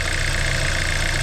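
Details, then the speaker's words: 2014 Hyundai Santa Fe turbo at idle, hood open, codes cleared after MAP sensor replacement: smooth steady idle with fast light ticking from the high-pressure fuel pump, normal per owner, partly muffled by engine cover. Normal high-pressure fuel pump tick. "And they all sound like that. That's why they put the comb underneath the housing so you don't hear it as much."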